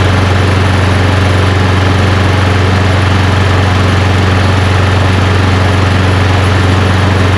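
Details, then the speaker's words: Push lawn mower running after its carburetor bowl was cleaned (problem thought to be mostly bad gas in the tank): loud, steady, even drone with constant low pitch, no stumbling or surging; sounds really good. "sounds really good huh"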